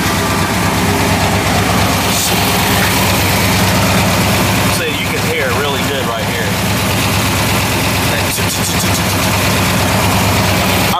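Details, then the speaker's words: 2000 Ford Explorer XLT 5.0 V8, rebuilt with cam, headers, Flowmaster exhaust: loud lumpy idle with quick uneven tick about three a second, louder on driver's side, which runs lean; owner suspects an exhaust leak, fears header gasket. "Makes sense because the ticking is getting louder on the driver's side. The driver's side is running lean according to my tuner."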